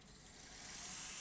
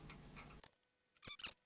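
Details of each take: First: Sony Betamax SL-C9 video recorder, loaded with a test tape: smooth, even high-pitched whir as tape winds quickly, no scraping, squeal or catching; normal fast forward. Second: Sony Betamax SL-C9 video recorder, held on its side: light, irregular metallic clicks and rattles in short bursts from a loose screw rolling inside the chassis.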